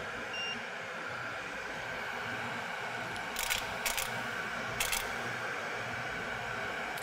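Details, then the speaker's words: Pro-Cut USA on-car brake lathe on a relatively new car: over a steady motor hum, short sharp solenoid clicks in small clusters as the drive flange is auto-adjusted, reaching optimum compensation of 0.001 in or less runout. "at which point hopefully you'll be able to hear the adjustment solenoid you'll hear some clicking sounds as they automatically adjust that drive flange to reduce run out"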